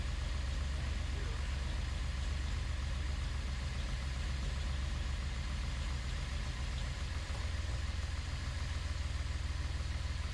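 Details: Datsun 240Z engine after final assembly, first start with distributor rotor/wires reversed to test a theory and timing still unset: catches and keeps running but idle uneven and lumpy; rough running, cause suspected, not confirmed.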